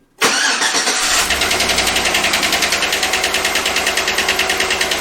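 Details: Chevrolet GM V8 with Active Fuel Management (displacement on demand), still running on all 8 cylinders with no misfire: it starts and idles with a sharp, steady tick about six times a second, suspected cylinder one; collapsed or stuck lifter tick.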